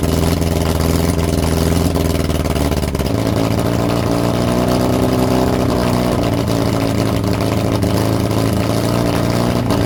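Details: Lotus Europa Twin Cam, 123 Ignition distributor, Stromberg carbs, after distributor adjustment: loud, uneven engine note that shifts pitch and beat after about three seconds. Rough running; carbs spitting less than last time; timing and valve clearances suspected.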